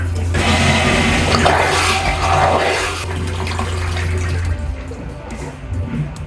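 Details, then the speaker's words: Aquila 32 Sport boat's marine toilet in the starboard wet head, normal flush with flush water set to maximum: steady pump hum with rushing water for about four seconds, bowl really filling, then tails off; normal complete flush. "let's go and flush it do a normal [Music] flush really filling up with water really filling up with water"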